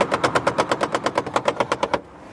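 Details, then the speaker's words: Mercedes E-Class convertible boot divider: sharp even clacks about eight a second for two seconds, then silence. Position sensor never blocked, so the motor keeps driving until it times out; slip clutch clacking. "which as you heard causes the clutch to Clack because the motor's just driving and driving and eventually it times out and stops"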